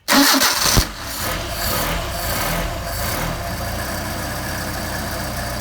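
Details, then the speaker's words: Mercedes 190SL with freshly rebuilt Solex carburetors, cold start on choke: brief crank, fires right away and settles into a smooth, steady fast idle with no misses or stumbles, a healthy cold start. "That's how they should start. This car does not like to sit uh long time long term."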